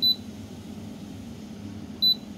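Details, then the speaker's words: Ferroli double induction hob on power-up: two short, sharp high beeps about two seconds apart in a quiet room. This is the F5 error code, meaning the hob-surface temperature sensor is not connected. "Vậy con này F5 là bị nỗi Chưa cắm cảm biến nhá Chưa cắm cảm biến cảm biến mặt bếp nóng mặt bếp nhá"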